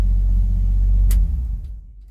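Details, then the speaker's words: 1963 Chevrolet C10 shortbed, original inline six: deep, even tractor-like rumble with smooth beat, then winds down cleanly at shutoff; runs healthy. "let's fire up that this thing sounds like a tractor [Music] it's gonna be a riot to drive i can't wait"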